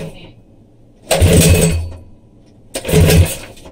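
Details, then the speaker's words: 212cc engine swapped into Coleman CT100U minibike with new header exhaust replacing side pipe: two sharp throttle blips with crisp even bark and clean return; runs healthy. "[Music] oh yay and that's what that new little badass sound plate or sad pipe sounds like it's a [ __ ] beast sounds better than than this one man"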